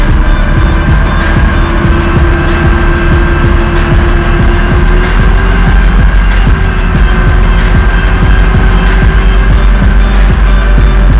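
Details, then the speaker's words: Mitsubishi L400 Delica on a lift, all wheels off and removed, rear driveline spun in gear to 80–100 km/h; heavy low drumming roar, vibration felt around 70–80 km/h confirmed in driveline, drive shaft suspected. "You can hear that in the camera, but there's a severe vibration still with no wheels on. So the vibration is definitely in the driveline."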